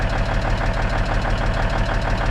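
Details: Truck diesel after valve adjustment, injectors not set without the proper torque wrench: steady idle with even ticking tapping through the rumble; top-end ticking, cause suspected, not confirmed.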